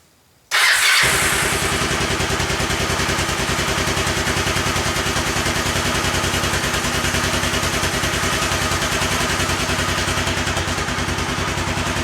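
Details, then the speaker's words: Kawasaki Lakota 300 after top-end rebuild, cam gear turned 180 degrees to correct timing: catches at once and settles into a steady, even single-cylinder idle with no popping, backfire or smoke; valves set well. "Look, no smoke. We fixed it. Awesome. Sounds good. Looks, sounds like I got the valve set in pretty good."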